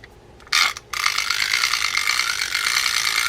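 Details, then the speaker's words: Fishing reel turned by hand: harsh gritty ratcheting grind through each turn though main gear and oscillation work; something broken inside, suspected up top in the spool, not confirmed. "if you've got a reel that sounds like that something's broken inside you can't necessarily guess all the time my guess though is it's up top in the spool"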